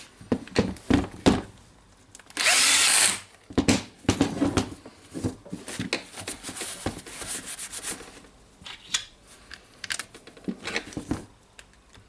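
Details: Hitachi (HiKOKI) DH22PH hammer drill after service and reassembly, run slowly in drilling and hammering modes: short bursts of motor whir and one longer even run, no grinding or rattle; runs healthy.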